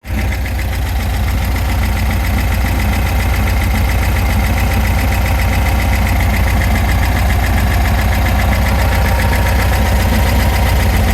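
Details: VW Super Beetle 1679 cc dual-port engine at idle: steady low idle with faint irregular tapping, owner suspects knock near the oil pump, more noticeable underneath; source uncertain.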